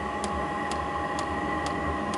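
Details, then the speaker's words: Newly installed diesel space heater, combustion established and set to 16 degrees, outlet air 45–50 degrees: crisp, even dosing-pump clicks ramping down to about two per second over a steady fan hum; normal fuel pump pulsing. "now that it's got combustion going you can hear that the diesel pump is ramping back down"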